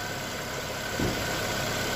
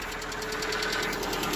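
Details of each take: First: Lada Vesta: smooth, steady low hum with even beat, no knocking or ticking; paper on the engine barely moves, healthy idle. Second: Lada Vesta cold start, oil at mid-dipstick after topping up about a litre, roughly 9,000 km on this oil: fast light even ticking at idle, owner suspects hydraulic lash adjusters, stopping as it warms; piston noise also suspected.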